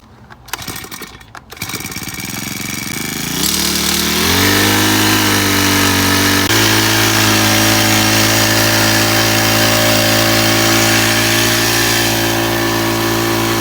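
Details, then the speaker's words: 4-stroke sprayer engine after carburetor cleaning, previously hard to start: now starts and revs smoothly to a steady high rev without stumbling, normal running. "โอเคไม่มีสะดุดนะครับ"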